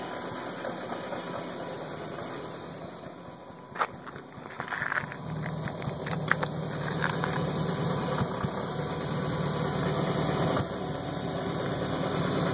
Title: 02/99 BMW 540I sport rough idle video